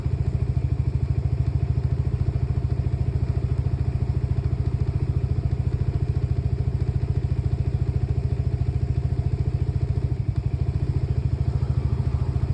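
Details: Lexmoto Nexus 125cc single-cylinder motorcycle at idle: uneven thumping with an occasional stumble and a dropout near ten seconds. Diagnostics show faulty fuel-air mixture readings and a misfire count; misfiring.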